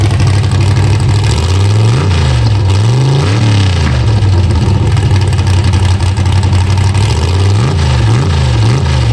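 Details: LS-swapped (5.3) Chevy Vega on a cold day, started with a little gas: cold V8 catches with a deep rumble, then several quick blips rising and falling cleanly with slight hesitation; the initial stumble remains, somewhat better.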